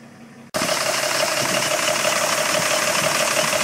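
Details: 1985 Mercedes W126 500 SEC, M117.963 V8 on petrol (also has LPG, same sound), passenger side: quick steady light tick about four per second at idle; friends suspect hydraulic lifters, two cylinder-1 lifters replaced helped little.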